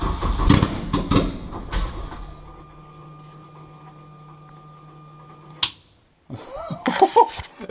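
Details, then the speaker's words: Honda K20 engine in a Peugeot 205 project at first start with no exhaust fitted: a few cranking bursts, then a raw, very loud steady drone that suddenly cuts; it runs. "Oh yeah, I forgot to press record, but it started up. It's very loud, but that's enough because there's no exhaust."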